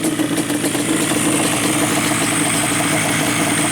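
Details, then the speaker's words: Yamaha Banshee two-stroke twin after carb synchronization, throttle slides set dead even with each other at idle: smooth, even idle with a steady buzzing beat and no hunting or misses. Carbs balanced and healthy. "okay so now we're good to go so now and now no matter where these slides are they're dead even with each other at idle"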